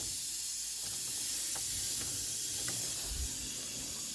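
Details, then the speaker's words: Truck with a 48RE transmission, boost system pressurized with shop air to about 20 lb: steady sharp hiss over a faint low rumble, air escaping from a split boost boot that needs replacing. "you can hear the leak immediately hear it that's 20 lb and then at 30 something it should blow off you can hear [Music] it"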